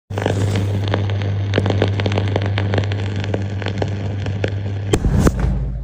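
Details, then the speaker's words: Main supply conduit, suspected damaged insulation and moisture inside: irregular sharp crackling pops over a steady low electrical hum, heard from the distribution box after closing the breaker. Arcing crackle. "线管里面像过年一样噼里啪啦的响。"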